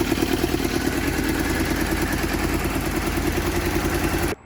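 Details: Yamaha FZR400 project bike, first run after years sitting, fuel from auxiliary tank: fast, choppy idle with uneven pulse, keeps going only on choke, won't run off it; coolant still to be topped up.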